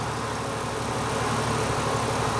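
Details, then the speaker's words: Jeep Cherokee XJ with a new aluminum triple-fan radiator, warm idle with the gauge near 210°F (owner doubts the gauge): the electric fans kick on as a steady, even rush over a low engine hum with no tick or rattle. Fans rated on at 185, off at 175. "so the fans say that they'll come on between 185 they'll come out at 185 shut off at 175"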